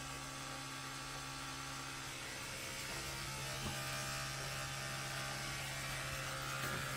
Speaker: It's in this wall for sure. The hell is happening? It's like a million piss off bees in my house. So weird. I mean, it sounds like it's from this wall.